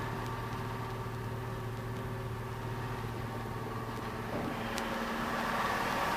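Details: Opel/Vauxhall Astra Ecotec after replacing faulty crankshaft position sensor (P0335, slow to start/no start): steady, even idle with a low smooth hum, no misses, knocks or stumbles; running normally.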